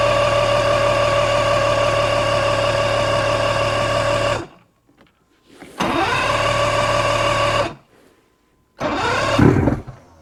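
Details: 1986 90hp Mercury Tower of Power outboard on an Alumacraft boat, normal start: engine catches and runs at a steady buzzing idle for a few seconds, cuts off, then restarts twice; fires up fine.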